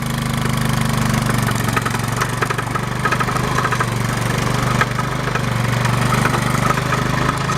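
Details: 1990 Yamaha Moto4 ATV that died in the field: a steady whining from the drivetrain when the clutch is let out in 5th gear (happens in every gear), heard over the chugging engine of another Moto4 towing it.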